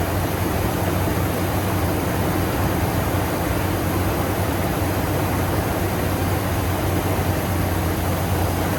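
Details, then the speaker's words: Ford F250 Super Duty after replacing the alternator, whose bearings had squeaked, with the belt refitted: even, steady low idle with no chirp or squeal; engine and belt drive sound healthy. "Truck's running good now. His squeak's gone."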